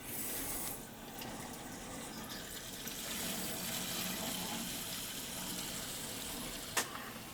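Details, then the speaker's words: Replacement gas boiler, single zone, 3/4 in piping with 245s down to a purge station, water feeder below it: steady rushing hiss of water through the piping while purging air, no knocking or gurgling; clean normal purge before first firing. "I'm ready to purge the air out of it. It's just one zone."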